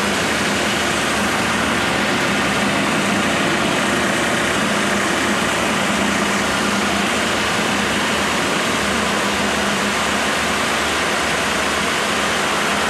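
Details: Freshly rebuilt 1987 Mercedes 560SL M117 V8 at its first break-in after 16 years idle, recorded at the front. A quiet, steady, fairly even idle hum, no knocks or misses; chain tensioning audible. Normal idle.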